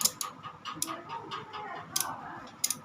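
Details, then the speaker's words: V-Guard AC stabilizer (model ND 400): sharp irregular relay clicking over a quiet hum persists after replacing the relay and checking capacitors; fault traced to the internal cooling fan dragging supply voltage down, cured by disconnecting it. "यह देखिए आवाज आ रही है अब बदलने के बाद हमने इसमें सारे कंडेंसर को भी चेक कर लिया ऊपर से लगा के लेकिन हमारी फॉल्ट ठीक नहीं हो रही थी"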